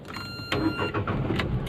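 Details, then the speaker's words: Renault Kwid after the key cell problem was fixed; short starter churn, then the engine catches at once and settles into an even idle, a normal start. "तो गाड़ी मेरा normal start हो गया आप देख सकते हो कुछ भी नहीं है मेरा"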